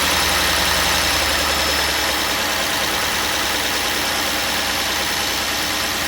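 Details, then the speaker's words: 1998 Cadillac Seville STS Northstar 4.6 V8, blown head gaskets, first start after hydrolock revival: catches and runs unevenly with lumpy stumbling beat under loud hiss; clear misfire, no knocking heard. "It's got a misfire for sure, but I don't hear knocking or anything like I really thought I was going to."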